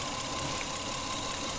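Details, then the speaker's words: Toyota Camry with sudden stalling, misfire, poor revving and long cranking: uneven, lumpy idle with irregular stumble; pulling cylinder 1's coil connector changes nothing, so that cylinder is dead from a failed ignition coil. "কাজ করতেছে না সামনের যেটা এই এক নাম্বারটা কাজ করতেছে না দেখতে পাচ্ছেন তো এটাও এটা যখন উপরে উঠাচ্ছি তখন ইঞ্জিনে কোন তফাত কোন ফারাক পড়তেছে"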